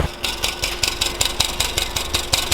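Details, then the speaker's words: Hyundai Genesis at idle with an aftermarket exhaust flex pipe that had rattled since installation: sharp, regular ticking puff about five per second over the engine hum; exhaust leak at the flex pipe, to be replaced with an ARK Performance front pipe. "we thought the exhaust was leaking when we installed it oh yeah yeah it's leaking"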